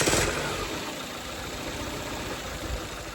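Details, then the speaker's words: Peugeot after rocker cover gasket redo, with oil having leaked into the spark plug wells and past coil pack failures: uneven idle with irregular stumbles, misfiring like a bag of spanners, then a slight stall; cause not confirmed. "Now she's misfiring. Now she sounds like a bag of spanners."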